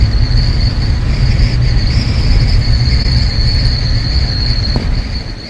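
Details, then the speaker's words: Jeep Wrangler Unlimited JK cruising with a tilted-up 50-inch LED roof light bar: a thin, near-constant high whistle over road and wind rumble. The fix is tilting the bar down slightly. "yeah it's pretty it's a pretty common issue everyone always talks about there's like a whistling noise that happens it's pretty much just the wind when it hits it"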